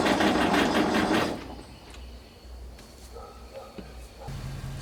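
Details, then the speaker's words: Galion T500 motor grader diesel, sat since 2007, first start after pump work: rhythmic cranking about a second without catching because the fuel had been left shut off; cranks but no start. "Alright, so I just remembered I had shut the fuel off yesterday when we were taking the pump off, so I didn't have the fuel on right there, but it really sounded like it was going to fire off there"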